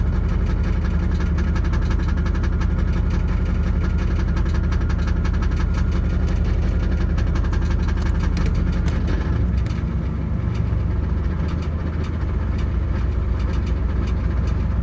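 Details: 1989 Pontiac Firebird 5.0L 305 V8 at idle: loose metallic rattle, roughly three a second, from flexplate area, shifting partway; louder with AC on, changes across P/R/D/N. Flexplate bolts tight, no cracks; slip yoke slightly loose; cause not found.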